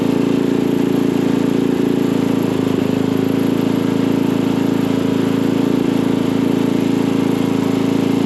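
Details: Craftsman dual-tine tiller, 9 ft-lb LCT engine, after repairing mouse-chewed ignition wires causing no-start, spark plug refitted, air filter off: smooth steady buzz holding one pitch, no misses or surging; running evenly and healthy.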